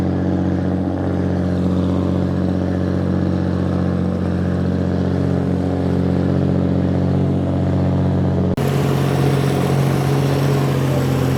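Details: Restored 1935 Stancraft race boat inboard, the oldest known surviving Stancraft, with race intake manifolds that hold a high idle of about 2,000 rpm; steady, lumpy, even rumble with no knocks or misses. Normal high idle.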